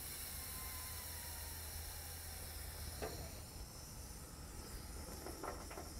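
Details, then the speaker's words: Excavator hydraulic tank cap cracked open before return filter service: steady soft hiss of air venting as tank pressure is released, normal step so dirty oil isn't back-flushed into the clean tank. "now listen when you open this up hear that hissing we want to let that pressure out of there"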